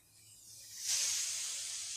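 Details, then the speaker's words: Commercial rooftop AC unit, found flat on refrigerant, pressurised with nitrogen for leak search, mic placed up close: sharp steady hiss of gas escaping where the TXV external equalizer line has broken off. "So, as you can see, that part of the TXV where it equalizes everything out has broken off."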